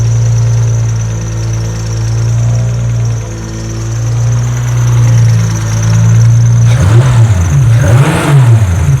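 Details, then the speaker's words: A Mitsubishi GTO (VR4-style AWD) with a swapped 6G72 turbo engine converted to an SR single-turbo kit, on its initial startup tune only, gives a deep, uneven idle that swells and dips, plus sharp rev blips; it runs rough and still needs proper tuning. "This is only initial startup tune. We are going to tune it later to make it run better."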